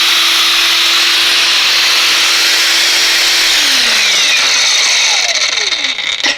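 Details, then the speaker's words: Knockoff "Makita" 18V brushless cordless grinder on a brand-new battery: a high steady whine holds pitch for several seconds, then winds down smoothly; normal running, happy as long as it stays up at speed. "as long as it stays up at that speed it's pretty happy so i guess it's it's what you expect"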